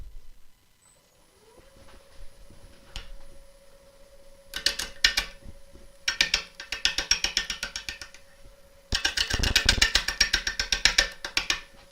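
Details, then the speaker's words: Wood lathe turning a gnarly crotch blank of mystery wood, possibly beech: quick bursts of sharp ticks, several per second, over a steady motor tone; normal tapping as the gouge meets the broken, uneven wood. "I think you can see through the through your screens there the air that's being cut, but actually every dick that you hear is actually the wood being cut."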